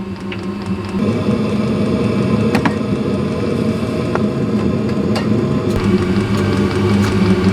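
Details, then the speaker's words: Brand-new replacement Chinese diesel heater on a 2007 MCI E4500 bus conversion, after the old one's fan motor overheated: fuel pump ticks, then it fires and settles into an even low roar with fan rush, no rattles or surging; running normally. "there's the fuel pump we should hear it fire up in a second here she is going we have diesel heat again"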